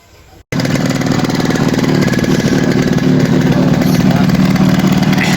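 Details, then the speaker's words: Yamaha RX 115 two-stroke after refitting and tightening the silencer: fast, uneven idle held a little high with sharp ragged puffing at the cylinder-to-pipe joint; exhaust header still leaking from the top because the gasket has not seated. "হচ্ছে এটা এখনো leak হচ্ছে উপর থেকে leak আছে কারণ এরা গ্যাসটা বসে নাই"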